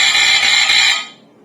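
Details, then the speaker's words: Statitrol SmokeGard 907A2 AC hardwired smoke alarm on test: a harsh, high-pitched pulsating horn in a slow 4/6 pattern, sounding normally. "And this is a pulsating alarm. like this. And actually that's more of a slow 4/6 pattern."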